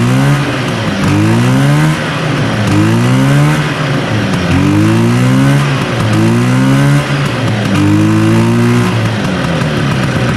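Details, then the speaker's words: 1970 Herter's Husky 440cc Sachs twin two-stroke snowmobile, weak intermittent spark on one side: repeated rev-ups sag and stumble instead of climbing, running on about one and a half cylinders with no power; points suspected, not confirmed. "well i'd say herders running on a one and a half cylinders like this is a 440 this thing has no balls"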